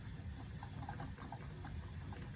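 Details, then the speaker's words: Wilesco model stationary steam engine, last run about 1983, after a few drops of oil, first run in 30-40 years as steam pressure builds: soft, quick, even puffs with low rumble and light hiss; running smoothly and healthy. "Can hear the the boiler starting to hum just like the Got some steam pressure. We're walking away. And we're away. First time in 30 40 years."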